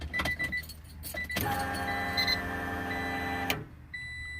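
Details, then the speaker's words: 1994–2000 Acura Integra after its fuel pump was rewired through a relay with a fusible link for more power: at key-on, a steady electric whir lasts about two seconds and then cuts off cleanly, a normal fuel pump prime. "so once again turn the key you got to start the car although i am just turn the key see if you hit a few pumps"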